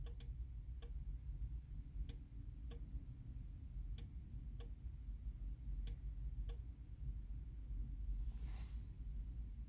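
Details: 2010 Mercedes C 200 CDI (W204), OM 651.913 diesel, 136 HP: faint, even clicking about every 0.6 seconds with no cranking or firing; owner suspects ignition/immobilizer not recognizing key — no-start with ticking.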